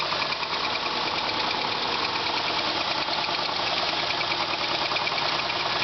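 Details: 2000 Subaru Legacy GT flat-four at idle: a persistent deep knock about two per second under the exhaust chatter. Possible rod knock is suspected; the engine later blew up.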